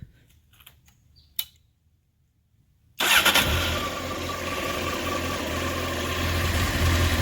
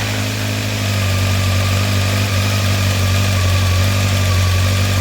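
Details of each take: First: 1993 Honda CBR900RR California spec four, restored with new header gaskets, cleaned carbs and fresh fuel, after sitting: quick catch into a steady, even idle around 1,100 rpm with no stumbles, clutch noise or smoke. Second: 1993 Honda CBR900RR California spec four, after new copper header gaskets and carb cleaning, warming up before carb sync, still smoking off old crud: smooth, steady hum but idle a little high. It will be turned down.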